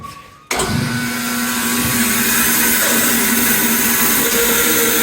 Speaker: okay that's about all you want to check when you first start it when you start it up you shouldn't hear any metal noise always listen